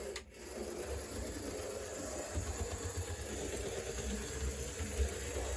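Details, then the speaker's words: HO scale model F unit locomotive, unused for some time and running a little slow: small motor whirring with a faint, steady light clicking; slight drive clicking, not too bad, cause unconfirmed (owner wonders if it needs more break-in). "You can hear it is clicking just a little bit. It's not too terrible."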